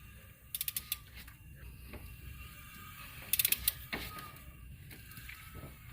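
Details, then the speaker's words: Pontiac 3.6-litre engine turned slowly by hand: bank 1 cam phaser slipping, leaving slack in the timing chain; two quick clusters of sharp pops, the second louder, as tension is applied and the chain snaps tight. "is slipping and it's causing the slack in this chain and you see it and when I put tension from off the torque converter to the chain you'll see it pop back up a little bit more tension watch see now you'll hear it pop"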